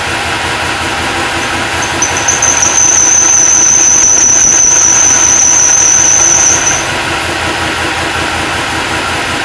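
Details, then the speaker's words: Supercharged LS1 V8 Holden One Tonner idling after start-up: piercing steady high squeal for several seconds, then it cuts out; WD-40 on the accessory belt instantly stopped it, and alignment or the idler pulley bearing is suspected. "Sounds pretty gnarly. Definitely squealing on this belt here."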